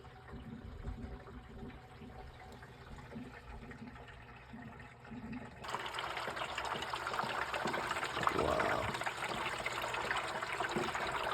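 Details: Horizontal gas furnace: water gurgling and trickling as condensate backs up behind a capped drain port, an installation error.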